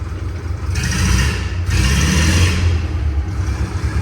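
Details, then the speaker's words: 1942 Caterpillar road grader, auction buy under repair, started in first gear with the clutch disc possibly stuck to the flywheel: deep, steady diesel rumble swelling smoothly with a little throttle, no knocks or misses; normal engine running. "Man, this thing sounds good."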